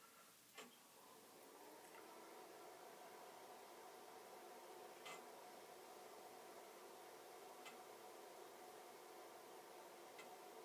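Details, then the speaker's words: Commodore Amiga 2000 HD with two floppy drives and no hard drive, battery stored on its side, first power-on: faint sparse floppy-drive ticks every few seconds over soft fan hiss, drives waiting for a Workbench disk; normal seek clicking suggests no serious battery damage. "Well, that's encouraging. I hear disk drive noises, like it wishes I would give it a workbench disk."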